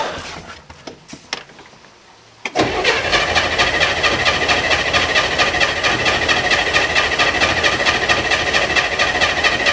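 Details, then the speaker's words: Corvair flat-six Spyder, cold: a steady fast crank at a bit over two beats a second that never fires, after the owner checks for spark with the plug wires pulled back a little. Cranks but no start; cause unknown, though it usually fires right up. "who knows who knows what's wrong and we'll go to motor vehicle get some paperwork done and come back and deal with this piece of crap later usually it fires right up"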